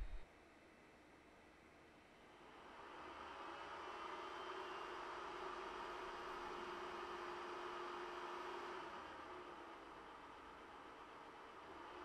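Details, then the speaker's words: Ender 3 printing (SKR Mini E3 board, Noctua hotend and mainboard fans): a quiet hiss swells at about two seconds as the stock power supply fan kicks in with a soft whir, holds, then eases. Normal, still fairly quiet printing. "so the sound does increase a little during the printing process but it's still fairly quiet for the most part with ambient noise around you won't even notice it"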